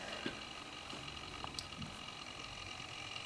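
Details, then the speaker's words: NEC Versa 6030X laptop during its first reboot cycle; irregular light ticks and chatter over a steady hiss from a slow hard drive seeking, heard through a hole in the case side, noisy struggling drive. "listen to that hard drive thrash"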